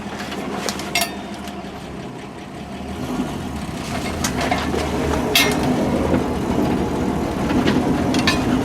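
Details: 1960 Dodge Dart Seneca with newly installed engine after over 10 years in storage, first drive on slushy road: engine pulls steadily and evenly, road and slush noise rising, no knocking; running normally.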